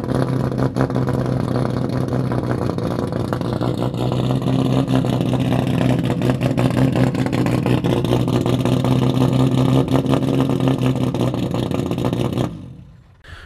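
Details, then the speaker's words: BMW E90 race car with turbocharged M50 engine at a track day: loud, choppy, uneven note under throttle chuffing like a rough two-stroke, lumpy running from aggressive camshafts. "Like this just finished e90 race car by Juhani Koistinaho. Naturally with m50 turbo Sounds really sick with aggressive cams."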